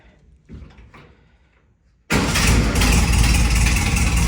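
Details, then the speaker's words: Rebuilt 1300cc air-cooled Volkswagen Beetle engine, first start, carburetor being adjusted, no generator light, slow oil pressure light: catches and settles into an uneven, choppy beat about three pulses a second; rough running, cause undetermined. "right now it's sounding really choppy and it was one of the first things that I noticed."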